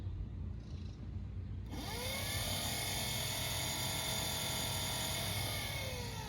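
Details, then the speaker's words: Old electric scooter motor for a DIY kayak drive, run with drive chain taken off, likely no load: quiet motor spins up to a steady high whine with even pitch, no grinding or knocking; normal unloaded run. "That's how quiet it will be."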